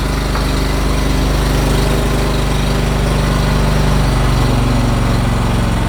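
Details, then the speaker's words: Floor scraper engine after the misfire was traced to a closed spark plug gap and the plug was regapped to 0.020 in; steady even putter with no stumbles, firing cleanly on every stroke, now running normally. "We put it back together. Fired the engine up. Everything's running good."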